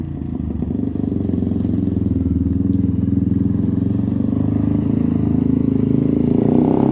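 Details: 1997 Honda TRX300EX single-cylinder on test ride after cam chain replacement, still cold after sitting: brisk even thump building smoothly as revs rise, no top-end tapping or rattle; running really good, slightly grumpy from sitting and cold.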